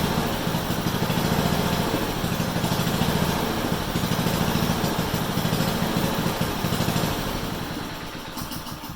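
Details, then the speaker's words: Honda HRU196 single-cylinder mower after carburetor cleaning, reassembly and a fix for a long-standing fuel restriction: runs strong and even at high revs with a crisp steady beat; running as it should, better than in a long time. "so there we go you know that sounded really nice better than has for a long time and it ran up high it actually ran harder than what I thought"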